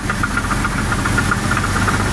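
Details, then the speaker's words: Chevrolet S10 4x4 at a rough idle: a sharp, regular metallic tapping about seven a second, a deep knock that the owner suspects is rod knock; the cause is unconfirmed. "i mean got me it's sounds like a rod damn right it sounds like a rod"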